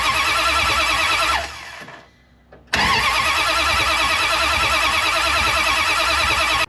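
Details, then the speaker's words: 1973 Dodge Charger, 383 big block, long parked: steady starter churning about three turns a second, pause, more cranking, never fires; fuel smelled but no spark, coil to be checked. "Once again, I smell fuel, but we didn't get any fire."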